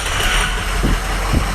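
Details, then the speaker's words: Truck diesel at idle, loud and stumbling with uneven thumps and dips about every half second. It is misfiring on at least cylinders 2 and 4. A catastrophically failed EGR cooler is letting coolant into the engine, and coolant is bubbling from a busted up-pipe. "And it running pretty freaking bad. I mean, it's running bad. I mean, I do number 2 and number 4 at least."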